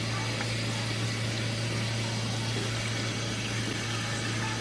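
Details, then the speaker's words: Toyota MR2 build, DW 350 fuel pump temporarily wired to a battery off the car, tested for leaks on new -8AN lines: strong, steady hum with fuel flow hiss, pumping cleanly, no leaks; normal operation. "the staff they're pumping out I can hear it okay there it is"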